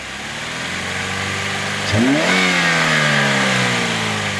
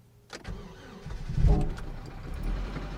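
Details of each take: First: 2007 Chevy Cobalt running 5–10 minutes on 10 lb of paraffin candle wax instead of motor oil: two quick blips from idle climbing and settling smoothly, no knocking yet; sounds healthy, normal revving. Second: 2007 Chevy Cobalt engine run with 10 lb of melted candle wax in place of engine oil; cranks briefly, catches, then runs lumpy and uneven with a rough, stumbling low rumble right after start; oil pressure light on; rough running from wax-contaminated oil.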